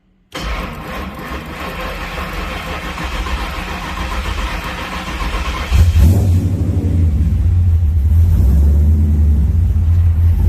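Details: Warm engine on a newly wired Holley ECU with the ECU now running the fuel pump and fans; catches right away, settles, then revs cleanly into a strong steady run without stumbling, a healthy start.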